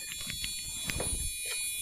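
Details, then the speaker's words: Used gaming PC with Gigabyte motherboard, heard through the motherboard speaker cable: one continuous long high beep at power-on, then a single short beep, long beep persisting over faint fan hiss, yet PC posts and boots Windows 10; cause unknown. "I'm going to leave it on because I need to explain something to you guys now I'm not using any trickery here this is exactly coming from the speaker cable and we booting up all right"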